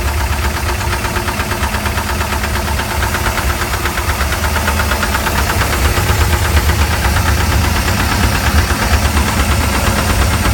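A deep, rough idle with a hard, steady knock tapping through it, typical of worn engine bearings. Cause suspected, not confirmed.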